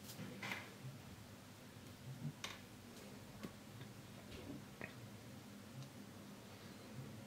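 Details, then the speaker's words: Fuel rail pressure regulating valve ref 0281002488 tested with a multimeter on the bench; a few faint, sharp clicks as it opens and closes; normal valve clicking. "you will perceive that opening and closing sound inside the valve , that sound is very subtle, but I already said that you are going to perceive it, do that test, okay, and thus you will check if the valve opens and closes,"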